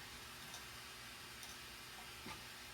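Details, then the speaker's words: Coleman lantern, primed and preheated, fuel turned on: thin soft steady hiss without the normal roar, big flames and a dim mantle; more pressure to be pumped in to test. Weak hiss instead of normal roar. "interesting it's glowing but it's got flames and it's not very bright you don't see that bottom's glowing but we're getting big flames coming out here and it doesn't sound normal i don't hear that normal roar that it gives"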